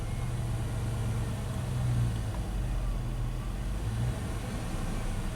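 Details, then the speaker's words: 2002 Dodge Dakota 4.7 L V8, no throttle applied: idle hunts, swelling and sagging on its own with RPM all over against a 600 rpm target; erratic idle from a faulty throttle position sensor ground, also causing hard shifts while coasting and surging at light throttle. "it's doing it on its own we about it's just a really erratic idle"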